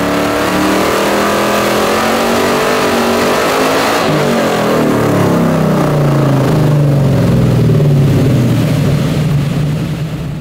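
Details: 1970.5 Chevrolet Camaro Z/28, LS6 V8 with FuelTech FT550 EFI, on hub dyno rollers after ignition timing fixed: loud V8 rises and falls steadily with even firing, no misses or knocks; healthy running under load.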